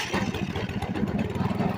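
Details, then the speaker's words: Free Craftsman 30" snowblower after a carburetor rebuild, started on full choke, possibly low on fuel: the small engine putters at fast idle a little unevenly with the choke still on but keeps running on its own. Running on choke. "Did a good job in that motor anyway. Oh, but wasn't time to turn choke off yet."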